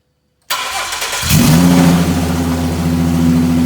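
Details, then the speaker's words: Ford Mustang Cyclone V6 race car that shut off mid-track and would only crank, after fixing a switch: the starter cranks briefly, then it catches cleanly into a steady, even idle with no misfire or knock. "we're just going to fix this switch and that'll be it for the night fire it up to show you guys she's living"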